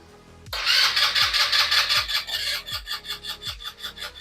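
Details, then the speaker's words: Scooter (Mad Dog/Ruckus type) with electric fuel pump conversion, stopped running: starter churns steadily about 2.5 cycles a second but never catches, even with starting fluid; fuel pump ruled out, owner suspects bad stator/no spark. "doesn't even want to bark off nothing I'll put starting fluid in there won't bark off nothing at all"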